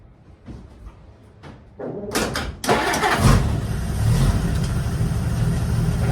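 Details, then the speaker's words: 1952 Dodge Wayfarer sitting for decades, restarted after a stall possibly from fuel: a few hesitant cranks, then catches and settles into a steady low idle, running smooth like a sewing machine. "Oh, she's running smooth now. Sounds like a sewing machine."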